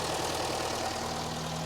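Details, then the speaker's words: 1980 Mk1 Ford Fiesta 1.1L at first start, on choke, probably with no coolant: even, steady idle with no misses or cutting out; it previously cut out after about 30 seconds; normal idle on choke. "this is actually running for a bit longer this sounds quite sweet definitely runs"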